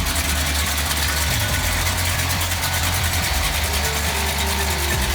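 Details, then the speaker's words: Restored 1967 Chevy Impala SS: steady, smooth idle with a faint, even electric hum from the brake vacuum assist pump running normally. "sound you hear is a brake pump vacuum assist."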